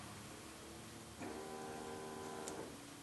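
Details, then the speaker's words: 1995 Chevy Tahoe 5.7 TBI, cranks but won't start; fuel pump relay jumped across pins 30 and 87: steady electric hum about 1.5 s as pump primes and fuel reaches rail; normal pump operation, relay suspected faulty, engine then starts. "Yeah, we definitely did. I could actually hear the fuel coming up to the rail."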